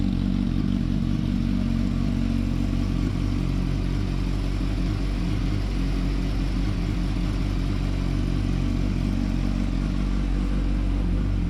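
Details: 2007–2008 Yamaha R1 cold start after shimming and welding the slipper clutch retaining springs to fix the clutch basket rattle. Steady, deep idle with an even beat and no clutch chatter; repair successful.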